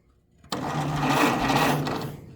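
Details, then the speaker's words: 1929 Ford Model A coupe, originally 6 V positive ground, fed 12 V positive ground by touching starter post; sluggish laboured whirring grind for about two seconds, barely turning the motor over, no firing; slow starter cranking, no start; plugs next. "are cranking barely this Model A motor over. So you know what that means. We're going to have to dig into this."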